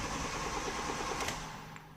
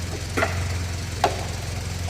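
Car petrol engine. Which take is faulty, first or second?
first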